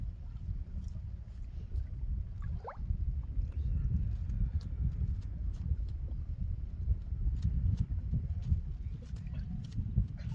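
Deep low rumble with irregular heavy knocks and groans, the anchor chain working against the hull, cause not clear.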